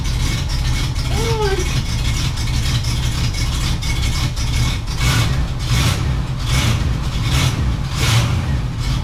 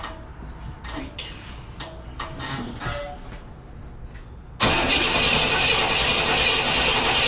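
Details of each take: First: 1967 Cadillac Coupe DeVille V8 started after sitting about a year; a deep, steady burble holding an even idle with no knocks, misses or ticking, sounding as it should. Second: 1967 Cadillac Coupe DeVille, first start after sitting about a year, on jump pack boost: several short cranking bursts then steady cranking without firing, fuel slow to reach the carburettor; it then catches, running rough at first.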